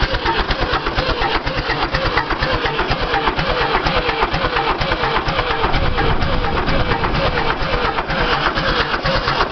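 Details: David Brown 1490 tractor diesel, cold start: slow, even cranking around two beats a second that goes on without ever catching. Cranks but won't start.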